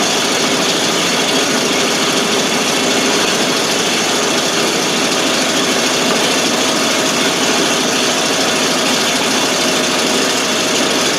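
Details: 1988 FMC 6000 after a hard start caused by no fuel reaching the carb, helped with starting fluid: steady even idle with rough airy exhaust, no misses, running on its own; normal idle.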